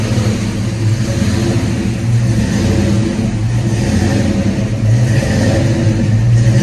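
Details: 1991 Ford Mustang GT hatchback V8 just after a cold start, following an ECU change: idle rises and falls every couple of seconds in a slow hunting surge; owner blames the cold and an IAC needing to relearn, expects it to smooth out when warm.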